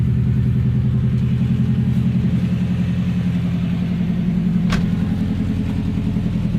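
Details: Subaru EJ20K engine at idle: a steady low rumble with an uneven repeating tap roughly three times per second; engine knock present, cause unclear.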